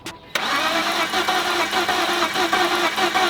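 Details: BMW E46 that sat low on oil and was started without running long, causing cylinder washout: starter spins the engine in a steady even churn but it never catches; low compression, fixed by adding oil to cylinders with a syringe.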